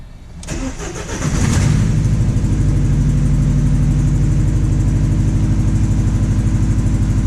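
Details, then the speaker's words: 2006 Ford Transit VH 2.3 petrol with low power (limited to 20 km/h), started with the oxygen sensor removed; loud, rough pulsing exhaust note while revving freely, blowing out the open sensor port; exhaust leak at oxygen sensor port. "a little bit noisy let's give it some revs well that sounds like absolute crap but uh"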